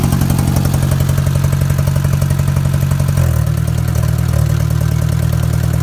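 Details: Engine idling with a fast, steady light tick throughout rather than a heavy knock; owner suspects a damaged valve or lifter tick, rod knock questioned, possible vacuum leak also raised; exhaust nearly falling off; cause unconfirmed.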